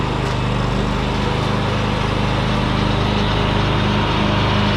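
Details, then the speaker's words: John Deere X500 Kawasaki V-twin after head replacement (guides had come out, bending pushrods), choke held halfway, suspected bad gas: steady, even fast idle on both cylinders with no miss; normal running. "oh there it is running I have to hold the choke halfway on I think it's got really bad gas in it but it is running on both cylinders there sounds good healthy"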